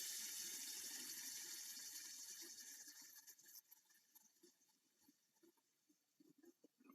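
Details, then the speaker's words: Novarossi 28-8 nitro engine being disassembled, clutch bearings hand-flicked: rough, hissy whir cutting in and out as it spins down, from worn but not seized bearings, louder on a hard flick; to be replaced. "out about to take the clutch off but I just want to show you how bad these bearings sound here that bearing howling"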